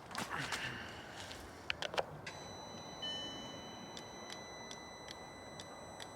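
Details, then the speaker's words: Audi R8 V8, first start attempt after adding oil: quiet clicks then evenly spaced high warning chimes from the speakers, electrics dimming, no cranking; owner unsure whether the battery is flat or the engine seized, plans to let the battery charge. "every time I go to start it like makes it allow the speakers make a loud noise the electrics go all hazy and you can just hear the starter going"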